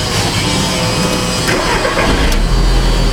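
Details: 2005 VW Beetle that only struggled to start when hot (up to 10 min), fine cold, with injector and crank sensor lines on a scope: short crank, then catches cleanly and runs at an even, loud idle with no stumble; normal cold start.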